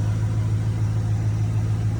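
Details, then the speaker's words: 1995 Camaro Z28 after an AC delete, after the loose plugs in the VATS bypass controller were secured. Steady, even low idle with a smooth, regular beat and no misses or knocks; it now keeps running. "So I had put that secure somewhere, and when I started it up, boom, immediately just kept running."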